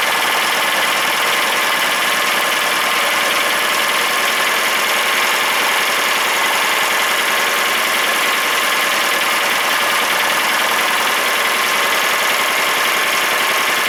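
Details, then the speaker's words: Briggs and Stratton opposed twin engine: small twin idles with a steady rough beat and a dull knock under it; suspected rod knock, not confirmed. "I can hear knocking a motor I can hear it but it does it idle crazy at idle"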